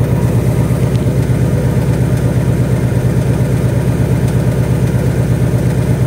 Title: 2018 Mustang GT typewriter tick. BBQ tick. Comes and goes. Rod knock? Piston slap?